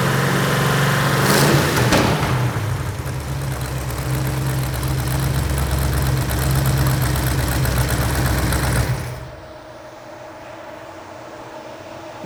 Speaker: all right well we got the engine running got it warmed up real good and if you could hear it you could hear the headers leaking